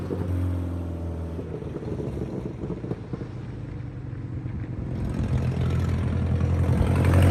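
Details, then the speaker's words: Subaru 2.5RS abandoned about 20 years, after fixing dangling driveshaft and bleeding clutch: drives up to 4th gear in parking lot, smooth even drone rising and falling with speed, no clunks or grinding. "Well, there it is. It runs and drives. I got all the way up to 4th gear in the parking lot, and"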